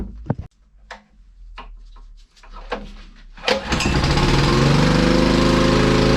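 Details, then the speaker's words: Honda EG1900x generator with Honda GX140 petrol engine, stored over 10 years, started on choke with a 1200 W grinder plugged in; after a few pulls it catches and holds a steady, slightly rich drone under load while producing power. "so I've hooked up my adapter we have the grinder connected which runs at 12 1200 watts and this is 1,700 so this will obviously power that perfectly fine make sure the circle Breakers are on put to3 going to start the engine up on choke and see if we get"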